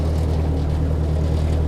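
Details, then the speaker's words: Ford Workmaster 641 tractor after tune-up (carb rebuilt, timing reset, points, condenser, plugs): steady, deep, even drone climbing a hill in second gear under load, no surging; running smoothly. "Just a nice steady purr."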